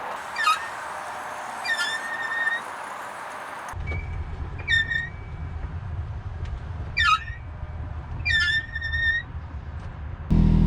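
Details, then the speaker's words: X3 driveshaft carrier bearing: sharp high chirping squeaks about once a second while pushed slowly in the driveway, much worse at speed. The owner first suspected the brakes and had been quieting it with oil spray; the bearing was replaced. "squeaking which isn't that bad while i'm pushing in the driveway is much worse um when i get up to speed going down the road on the trail it's kind of embarrassing when you're out around people"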